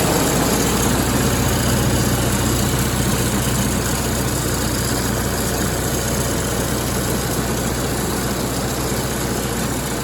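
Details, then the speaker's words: MEP-802A diesel generator bought at auction, after fixing no-fuel fault by unplugging fuel level switch; warm, a little over 160 on temp; even steady diesel drone, smooth low rumble, no misses or knocks; running healthy. "things are looking a lot better currently and I did run this I cheated I forgot I was supposed to be videoing to see it's up a little over 160 on temp everything's running really good"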